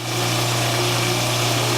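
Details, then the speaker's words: Newly installed InSinkErator Evolution Select Plus garbage disposal, replacing a cracked, leaking unit, runs with water flowing: a steady even hum under running-water hiss, no grinding or rattling, a bit quieter than the old unit and no leaks; running normally. "Overall, I would say it works a bit quieter than the older one, and I'm pretty happy."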